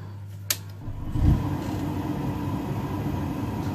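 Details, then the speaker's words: Grant / Worcester Bosch Heatslave boiler Sika flow switch tested with temporary connectors: one sharp click as the flow switch closes, then a steady hum as the burner fires; normal flow switch operation. "and then it clicks because working as it should do it then fires up the burger as well and then operates the pan"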